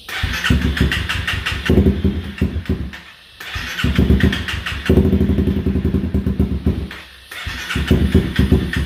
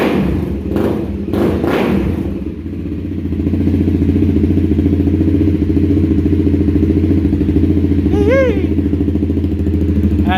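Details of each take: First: 2016 Honda CBR300R with bogging, stalling and rough idle, fuel lines refitted and fresh fuel added; engine catches in ragged bursts, stumbles, dies twice and refires, unable to hold idle; rough running and stalling. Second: 2016 Honda CBR300R, 3,000 miles, first startup after bogging, stalling and rough-idle repair with good spark confirmed: steady, even idle with regular firing pulses, no misses or hunting; sounds good.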